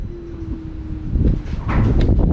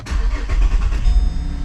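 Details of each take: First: 2010 Holden Commodore VE SV6 3.6 SIDI, first start after fuel injector replacement: engine cranks with uneven rough rhythm and won't start; crank no-start traced to a failed ignition coil. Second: 2010 Holden Commodore VE SV6 SIDI 3.6 wagon after fuel injector replacement, with a worn timing chain still due for replacement: brief crank, then it catches at once and settles into a smooth, even idle, a clean start.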